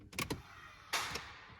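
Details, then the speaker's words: Holden Rodeo/Colorado transfer case with manually switched 4WD wiring that bypasses the TCCM, ignition on accessories only and shifting from 2 high: brief whir, light clicks, then a sharper click. It is a normal engagement of 4 high, with the front diff engaged. "So you heard that one click, it goes, you know, whirring, and then it goes click. So that's 4 high. So that's just engaged the front diff through the transfer case."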